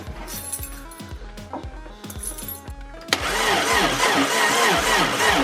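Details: 1988 Subaru RX with suspected head gasket leak and no spark, ignition troubleshooting; regular cranking about three and a half turns per second, then a sudden louder rush as it nearly catches but does not run.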